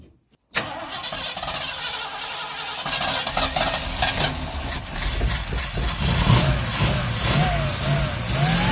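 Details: Ford Ranchero 351 Cleveland V8, running after 20 years off the road: catches and runs unevenly, revs surging and sagging only while held on throttle, won't settle to idle; a known vacuum leak is blamed.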